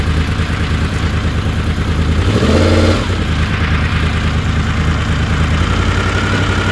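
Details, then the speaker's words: Honda VFR750 V4 on the lift after slow-screw O-rings were removed and the screws cracked out a quarter turn on each carb: even idle, then a sharp blip that rises cleanly and drops straight back. Response was anemic before; not yet road-tested. "yeah she seems to snap up pretty good on throttle it was rather anemic before even sitting on the lift"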